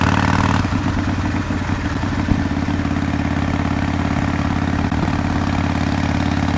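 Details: 2005 Harley-Davidson CVO Fat Boy after replacing a stripped clutch hub, the clutch and the bearing, around a test ride around the block; steady, even, lumpy low V-twin idle with no knocks or rattles. Shifted right into neutral, and the owner called the repair a success pending a longer ride.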